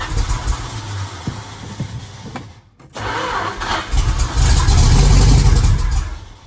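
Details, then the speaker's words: 1974 Dodge W100 4x4 getting a 383 big block swap: the starter cranks at a steady 3-4 beats a second but it never catches. It won't pump fuel after $20 added, though the pump tested good. Owner suspects a clogged pickup sock, admits flooding it and suspects the starter isn't disengaging. "Put $20 of fuel in the tank and it won't pump fuel, like at all. That's weird."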